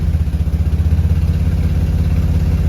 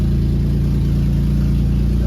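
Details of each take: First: Nissan G35 VQ35DE at operating temperature, in drive: low steady even idle around 650 RPM, no stumbling, knocks, clunks or stalling; no odd engine or transmission sounds, though a code persists. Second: Nissan G35 VQ35DE, not yet at operating temperature: steady fast smooth idle over 1,000 RPM; idle relearn pending to bring it to 650–700 RPM.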